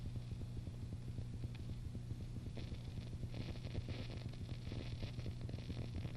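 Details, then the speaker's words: Fender Bassbreaker 15 tube amp, mic close, before re-tubing: a low hum with hiss breaks into an uneven throbbing sputter, about four pulses a second, as the amp is switched off; owner plans to replace the tubes. "I'm going to turn it off and hopefully be able to hear exactly what it sounds like is it kind of farts out as are even turning it off"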